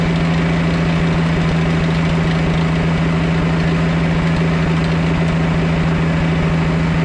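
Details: 1991 Four Winns OMC 4.3L V6 boat engine idling on the hose: steady, even low rumble with a constant hum and no knocks or misses. Oil pressure is great and the alternator is working.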